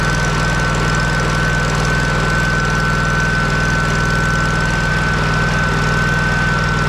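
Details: Kohler CH750 twin in a Miller Trailblazer 302 AirPak welder, just after repair including ignition magneto gap setting at flywheel: steady, even beat at constant speed with faint steady whine on top; runs smoothly, healthy.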